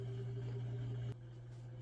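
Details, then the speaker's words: Samsung WA52M8650AV/A4 washer agitating normally after the clutch gear assembly was replaced. It had previously failed to agitate or spin, only making a noise. Now a low, even hum with a gentle shake, no grinding or clunking. "so I can see it's agitating so that quiet hum that little shaking of this machine warms my"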